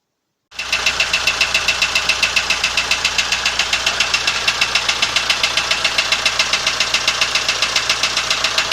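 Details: ZMZ-514 Euro 2 turbo diesel before repair, electronics disconnected: hard, even metallic knock about four beats a second over loud idle; others blamed connecting rods/pins, owner says real cause was otherwise, not confirmed here.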